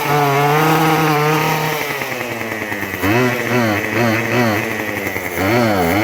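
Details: Craftsman WS2400 two-stroke pole saw after refilling with freshly mixed fuel, before carb adjustment: buzz sags and lags each time throttle opens, then climbs back; still bogging, milder than before.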